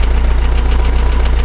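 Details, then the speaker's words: Old air-cooled flat-four after downsizing and redrilling the carburetor main jet to 170: steady, even low chug with regular firing pulse, no knocks or misses; settled idle, main jet sizing still to be confirmed on a drive. "She sounds good, but we won't know if we got the main right until we go for a drive."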